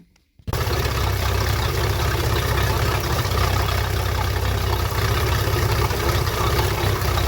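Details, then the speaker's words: 2006 boat with a MerCruiser 4.3 that cranked but wouldn't restart when hot, heard after repairs including a fully rebuilt distributor. It starts at once and idles smoothly with an even beat and no knocks; normal running. "sounds like the motor's running pretty good so we'll have to take it out a few days on the water and give it a good run"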